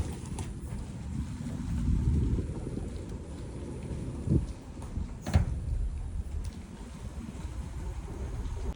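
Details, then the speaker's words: 2026 Tata Punch EV 40 kW Smart Plus, 6,141 km in 2 months, driving over speed breakers and patchy road: quiet electric drive with sharp repeated knocks each bump; loose front suspension, owner suspects stabilizer link or bushes, returned after tightening. "So it was like something is loose in the suspension when I was going on a speed breaker or a patchy road where the patch is like that. So the patch is a little bit like that, and it gives you a tuck tuck tuck sound like every single time."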